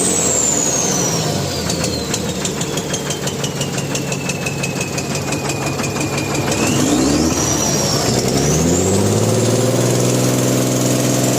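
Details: Mahindra Blazo BS4 truck diesel idling while emitting black smoke: steady idle with a sharp regular tick about three times a second and a falling whistle; abnormal engine knock, cause unconfirmed.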